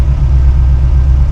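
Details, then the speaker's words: 1966 Mustang 289 V8 with Holley Sniper 2 EFI, warm idle around 950 rpm with idle AFR about 13: a smooth, steady low rumble with no knocks or misses; the engine is purring. "I mean, the thing just listen to it. It's just purring."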